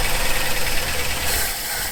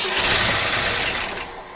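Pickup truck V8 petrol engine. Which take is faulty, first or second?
second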